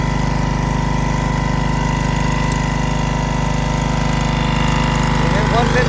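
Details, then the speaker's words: Hookah diving air compressor, started cold and built to about 150 psi, now idling after the regulator kicks off (unloaded). Steady, even, regular putter: healthy. "i'll bleed it down just to where it needs enough to kick off"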